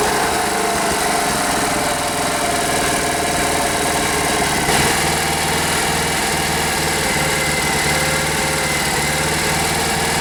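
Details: Rare Briggs and Stratton 5 hp air-cooled outboard holds a steady, even buzz with no misses or surging; runs clean after fuel pump line and bulb connections were made airtight to cure a no-start.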